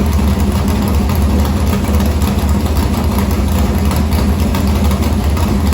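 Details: Morgan Machine-built open V8 (about 358 cu in) race engine in a Harris car, EQ heads, likely an Edelbrock Victor Jr two-barrel intake, started after sitting a week and a half to refill an unhooked fuel line: loud, deep, even burble with steady firing, no knocks or misses; normal idle.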